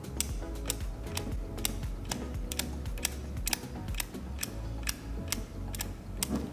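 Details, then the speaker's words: Non-starting abandoned Datsun 260Z barn find, ignition coil tested with jump box and spark plug grounded: sharp snapping clicks about twice a second over a low hum; healthy spark, coil works, so not the fault. "ignition coil is working, which is not ideal. We were hoping that the ignition coil was the broken part and we had just gotten another one that was broken."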